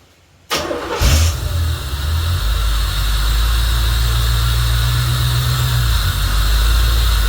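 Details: 1986 Corvette C4 Pace Car Edition, unused for 14 years, cranked after brake cleaner was sprayed into the intake; it fires at once and holds a rough, lumpy idle only on the spray. Owner suspects the in-tank fuel pump is stuck.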